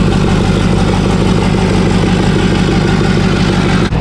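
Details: Rebuilt Duramax diesel truck after a cold start at about -4 outside: steady, even diesel clatter at a settled idle with no misses or knocks; healthy running engine.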